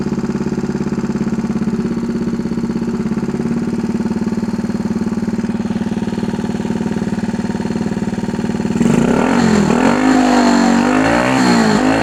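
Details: 1964 Honda Super Cub CA102 after a full top-end rebuild, kick-started with good compression; the small single putters at an even, quick idle and picks up cleanly on throttle blips. It runs well and no longer smokes heavily.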